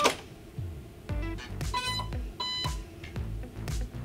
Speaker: if the device is experiencing overvoltage you will here two beeps come from the motor once power is